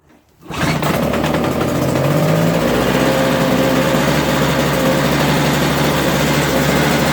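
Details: Toro 16-inch snowblower, 3.25 hp two-stroke that wouldn't start, after carburetor cleaning: catches almost at once, then settles into a steady, even high buzz with no misses or surging; running fine.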